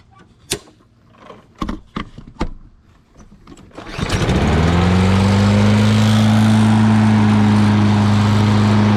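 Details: Lawn Boy all-wheel-drive mower with Kohler engine, after cleaning grime from the carburetor, cutting and bagging grass: a few clanks, then it catches and holds a steady, even drone under cutting load; normal running.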